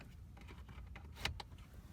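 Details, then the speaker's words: 1996–2000 Dodge Caravan at about 20 below: the blend door actuator motor whirs with light clicks after its stripped gear was repaired. It now spins normally when the fan is cycled. "I'm just gonna turn that fan on real quick on and off so I can hear that Actuator motor again okay so it's spinning"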